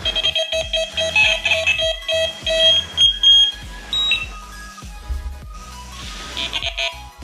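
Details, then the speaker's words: Delkim TX-i Plus bite alarms just paired to an RX Pro Plus receiver: bright high-pitched beeping in quick irregular bursts at shifting tones as each alarm triggers the receiver; all units working correctly. "Están funcionando todas correctamente."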